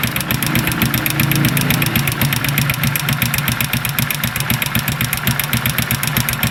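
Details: Honda XRM 125 motorcycle before overhaul runs with a loud, rapid clattering knock, about four a second, excessively noisy engine.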